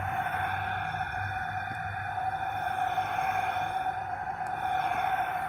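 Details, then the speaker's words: 2002 Nissan Sentra 1.8L leak-down test, no-start: a steady airy hiss with a faint whistle as air comes out of cylinder 4 and coolant rises and overflows, a likely blown head gasket. "That is air coming out of cylinder 4, so it's got a problem."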